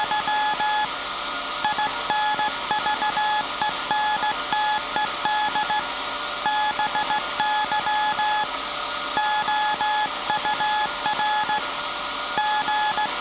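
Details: SAQ Grimeton 1924 Alexanderson alternator VLF transmitter on 17.2 kHz CW, December 1st 2024 centennial transmission, punch tape transmitter soon to stop and hand over to hand keying: steady high beeps in dots and dashes over constant room hum, clean on-off switching; normal Morse keying.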